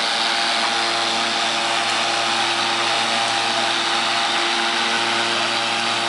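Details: Battery-powered electric lawnmower, four 12 V 12 Ah AGM batteries giving 48 V (52.8 V measured) to a DC permanent magnet motor: steady even electric hum with bright blade whirr, no surging or catching; motor runs healthy.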